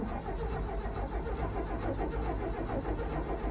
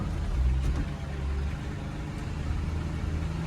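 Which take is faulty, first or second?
first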